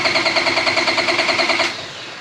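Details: EG Civic drag car after J37-to-J35 engine and transmission swap: steady rapid starter chatter, about seven or eight pulses a second, no firing, with almost no air from the exhaust; cranks but won't catch.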